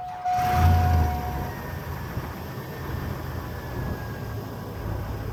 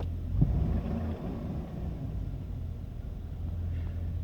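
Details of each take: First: Old GMC Sierra cold start on a 47°F morning: slow, labored cranking that drags before the engine catches; owner suspects the battery; slow cranking on cold start. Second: Old GMC Sierra V8, about 224,000 miles, cold 47°F morning, slow cranking from weak battery: steady, even low idle rumble with no knocks, ticks or misses; engine still runs fine.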